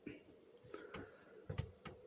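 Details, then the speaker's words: Chinese diesel air heater after priming, start taking longer than normal: fuel pump now kicked in with sharp evenly spaced ticks about once a second in a quiet room, pulsing normally, awaiting warm air. "there's the pump now thank god now as you can see the bumpers kicked in now i would hope for the air to start feeling a bit warm"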